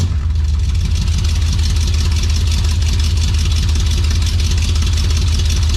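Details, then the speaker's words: 1968 Dodge Coronet 440 V8 with new exhaust, ignition timing set with timing light: deep steady even idle beat, no misses or knocks; running healthy and better. "So, it's running pretty good. I think it sounds pretty good."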